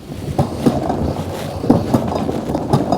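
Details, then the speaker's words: 2024 Wired Freedom e-bike, SRAM/Shimano-type rear derailleur: sharp ticks about once a second over the drivetrain whir because it won't click into first gear. Misadjusted cable tension/indexing fixed by turning the adjuster counterclockwise. "Now watch when I put this into the first gear, or gear number one, the highest gear. See how that doesn't want to click in?"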